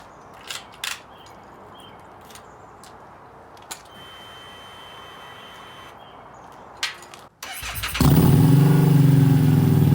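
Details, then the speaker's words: Harley-Davidson Street 500 converted to Street 750 with new 750 engine (60 miles) in 17k-mile chassis, new dealer-flashed FP3 tune: engine catches and settles into a steady even deep idle with no knocks or misses; healthy. "yeah so the 750 is purring like a kitten"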